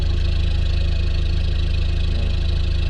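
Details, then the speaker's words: 1994 Mitsubishi Delica L400 diesel, about 29 years old, at cold idle while warming up. Even, low clatter with no misfiring or smoke, burning clean, with almost no blow-by. Healthy engine. "the engine is idling and inside the good cold idols diesel is warming up no misfiring yeah it doesn't smoke engine is burning clean"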